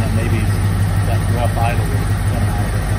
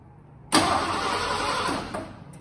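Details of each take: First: 1986 Ford F-150 Lariat, 302 V8, 70-some thousand original miles, run again after sitting about 15 years and getting a new high-pressure fuel pump, tank drained and flushed, likely still on some old gas: even, deep idle with a steady low pulse, no misses or knocks. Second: 1986 Ford F-150 Lariat, 302 V8 fuel-injected, about 70,000 original miles, sat 15 years; fresh fuel with Sea Foam. Starter spins about 1.5 seconds and winds down without catching; no fuel getting past the failed high-pressure fuel pump, new pump about to be fitted.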